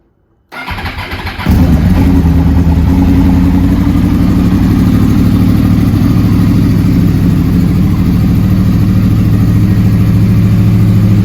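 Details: 2009-2014 Yamaha R1 crossplane engine after starter replacement, cold start after sitting about 2 days at about +5 °C: starter whirs briefly, engine catches into a strong, even, uneven-firing idle, normal cold start.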